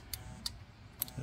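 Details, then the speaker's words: Cub Cadet XT1 LT42 Enduro lawn tractor, Intellipower (no throttle or choke), model 13A6A9CS056, 2020: three or four sharp, irregular clicks and buzzing as the module is twisted. Two loose white module wires make the fuel solenoid cut in and out. "something's clicking over here see something moved you can hear I can I can feel it and it's there's buzzing coming from this module over here so there's something in here that's not right"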